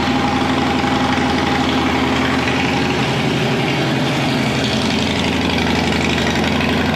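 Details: Police Harley Road King converted to sport tourer, first test start with pipe just fitted, not yet tuned: loud, lumpy V-twin idle holding a steady beat without stalling.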